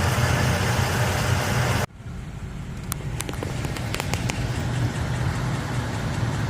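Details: Engine idling with faint, uneven light ticking that comes and goes, quieter than earlier; mechanic suspected lifter tick; after adding transmission fluid to the oil, clicking was gone the next day.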